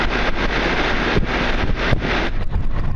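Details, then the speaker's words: 10-year-old York LSU condenser running after condenser fan motor replacement, its first major repair; steady low hum with an even fan rush in the wind, no knocks or rattles; normal running. "So, alright guys, well she's up and running, and thanks for watching, and we will see you guys on the next one."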